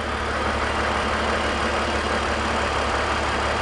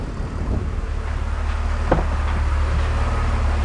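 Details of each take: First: BMW E46 330i/325i after fixing a deliberate vacuum leak causing P0171/P0174 lean codes: steady even idle with a smooth low hum, no hiss, stumble or hunting; fuel trims returning normal, engine idles normally. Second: BMW E46 330i/325i inline-six with an induced vacuum leak, held at raised rpm: rough, stumbling running with uneven pulses as a cylinder misses. Fuel trims climb past 20, heading toward P0171/P0174; the leak was then plugged.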